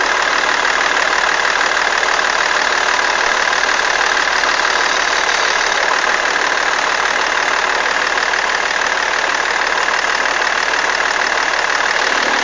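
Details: BMW E46 330d diesel idling with a steady, quick ticking rattle about three a second riding over the engine, attributed to a bad alternator belt tensioner.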